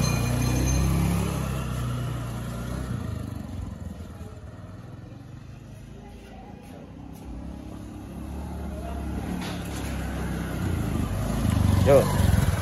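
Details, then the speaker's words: Honda Beat automatic scooter after replacing worn-down final-drive ratio gears in the gearbox, riding on the road: steady low drone with wind and traffic, no rising gear whine. Normal final drive after repair. "Ini udah dibenerin ya rasionya ya."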